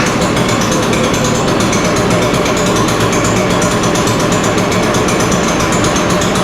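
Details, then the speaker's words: Echo PB-580T two-stroke backpack blower running in the shop, started on full choke after a new starter rope and new coil. Loud, steady roar at even speed with no misses or sputter; sounds like it runs okay. "It sounds okay. It sounds like it's gonna run okay, but we're gonna have to take this one outside before we can open it up and ma"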